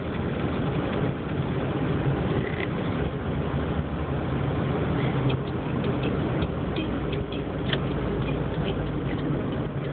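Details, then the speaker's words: 2005 Dodge Neon at idle after coming to a stop: deep, heavy thrumming drone with slight surging. It quiets when cruising in third at 40 mph. Rough idle noise, cause not yet found. "that's a horrible thrumming noise at idle sounds like it's kind of surging"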